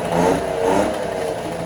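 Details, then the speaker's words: 1968 Electrolux Penta E-50 43HP three-cylinder two-stroke outboard, revived after 20+ years, running in a water barrel with its pump not drawing water: uneven, lumpy, wavering note; the two lower cylinders stay cold and only the top one is hot, so it runs rough. "And on top of that, the engine also sounded and ran a bit strange. The two lower cylinders seemed to stay cold and only the top one was hot."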